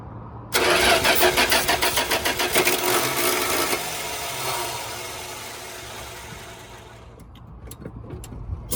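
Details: 1975 Dodge pickup bought at auction, with a 10-year-old battery and the starter jumped directly: starter turns the engine in strong, even pulses about three per second for three seconds, then slows and stops without firing; normal cranking.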